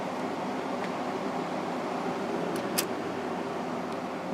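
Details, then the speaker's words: Emerson Quiet Kool 6300 BTU air conditioner, reassembled with replacement GE fan motor (old one had bad bearing) and correct bigger capacitor, fan only on medium: smooth even airy whoosh, no rattle or scrape; quiet healthy fan. "let's start up on high nice and quiet there was a little bit of a rumble there I don't know what that was but yeah it's running nice and quiet now"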